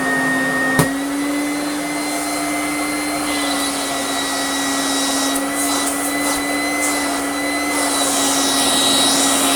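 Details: 1991 Goblin Laser 2600 Plus vacuum cleaner after full refurbishment with new motor: smooth, steady high-pitched motor whine at constant pitch, no rattles or bearing noise.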